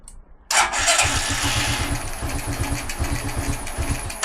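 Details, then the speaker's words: Carbureted G-Moto Cross X Pro moped at 1,700 km, tank drained for a fuel-consumption test: starter grinds in even rapid pulses for about four seconds and never catches, cranking but no start from fuel starvation. "et maintenant plus Le gaz ne démarre"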